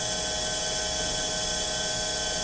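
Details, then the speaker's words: Mercedes W126 300SEL fuel distributor after repair, on a one-minute full-flow test: loud, even, steady hiss of fuel with a faint constant whine, much louder than before repair; cylinders deliver 165–175 for about 3% spread, well within the 15% limit. "们可以听到它这个出油量的声音，跟刚刚大哥在做测试整修之前的测试的时候，那声音大很多了。"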